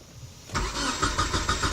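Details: 1993 Nissan Altima cranks but won't start; an earlier diagnosis found no spark. The starter turns the engine at a steady chugging pace for over a second but it never catches.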